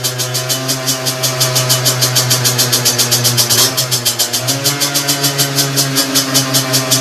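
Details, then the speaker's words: Two-stroke with 17.5 mm carburettor on bench after needle reset to correct leaner position: crisp, even popping at idle, revs pick up cleanly and return to idle by itself; carb set right. "toutefois bien réglée elle revient se ralentit tout seul"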